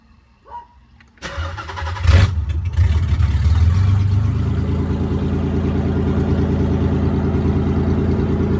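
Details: 1993 Nissan 300ZX after the transmission was removed and reinstalled and a no-crank traced to the neutral position safety switch was addressed; starter whirs briefly, then the engine catches and settles into an even, steady idle. Normal start and idle.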